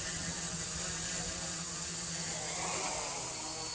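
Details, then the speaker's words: PX4 multirotor (Hardware Store Drone) on baseline flight before PID tuning in QGroundControl: steady high motor whine with even propeller hiss, holding level without surging; stable, snappy, responsive hover. "that's pretty responsive there let it fly for a minute and after a minute we'll we'll get the uh yeah it's pretty snappy and responsiveness"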